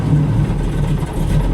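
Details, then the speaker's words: 1967 Chevy Camaro carbureted V8 just after a cold start, held just above stalling with light throttle; deep, slightly uneven rumble, idling normally. "If it tries to die, you give it a little throttle. It seems like it's doing all right."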